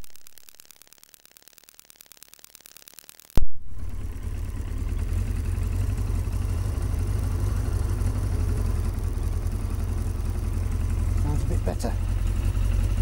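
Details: Yamaha XJ900S Diversion after its final fix, warming up after starting: a sharp start, then a steady low rumble that settles into an even idle with no misses or hunting.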